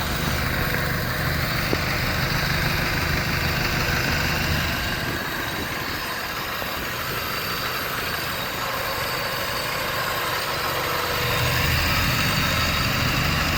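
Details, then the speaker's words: 1993 Honda Civic EG8 with D16Y1 VTEC swap at idle after replacing connecting rod bearings for rod knock and low oil pressure: steady smooth low rumble, no knocking, idle no longer drops low, oil light gone. Normal idle. "No more knocking. Let me know what you guys think, you know? Idle used to drop really low before too. Now everything's normal."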